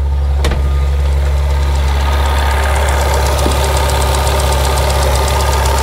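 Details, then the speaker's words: BMW 760Li V12 at idle after HPFP diaphragm replacement: fast light clacking over the deep idle from high-pressure fuel pump number 1, which still fails to build rail pressure; pump 2 now within spec. "et là malheureusement celle-ci elle ne veut rien savoir je ne sais pas pourquoi toujours la même qui claque et on l'entend"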